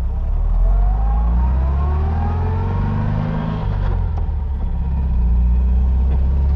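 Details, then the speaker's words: 1956 Oval Beetle test drive after restoration: revs climb and drop cleanly through each shift at around 40–45 mph, no grinding or popping out of gear; the gearbox sounds healthy. "good there's no grinding popping out of gear car drives nice and straight very cool"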